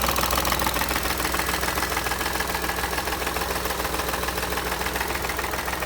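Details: Engine at steady idle with a sharp, even ticking knock about three and a half per second riding over it; source unknown.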